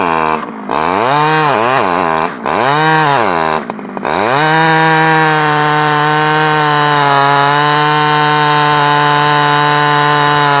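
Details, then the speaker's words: Stihl 011AV two-stroke chainsaw after a carburetor rebuild and a spark plug coil wire fix; blips up and down a few times, then settles into a steady, even high-speed run with no stumbling. Running properly; owner guesses crank seals may be needed. "I think that I was having some issues with the um the coil wire here going to the spark plug I took it off and took it apart and put it back on and it seems to run better so"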